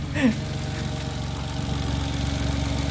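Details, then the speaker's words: Mitsubishi Mirage G4 sedan after fixing a no-start in which the throttle body/TPS stepper motor had locked from disuse. Steady, even low idle with a regular beat and no misses or rough patches: normal idle. "so ayun guys umandar na so nagkaproblema lang talaga dito sa ano natin so common naman to ng ano ng TPS ng Miral saka Toyota Vios"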